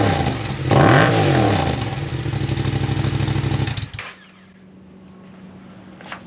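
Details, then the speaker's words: Yamaha MT-07 twin with newly installed full aftermarket exhaust, silencer still in: deep, lumpy burble blips up sharply, holds with a throbbing pulse, then settles; healthy, strong normal running. "That sounds pretty mean. Customer was thinking about leaving the exhaust silencer in there, so I'm going to leave it in there for now, but I will pull it out so we can hear the difference."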